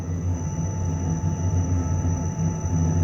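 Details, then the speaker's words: Truma Combi D6E Gen2 diesel heater, camper interior, run with an open exhaust after the original gas pipes were kept: steady loud low drone with a faint thin whistle, an abnormal rumble; excessive exhaust roar. "fait quand même un vacarme, hein. Donc quand on est dans le lit, on entend quand même un vroumement, un ronronnement qui est pas normal."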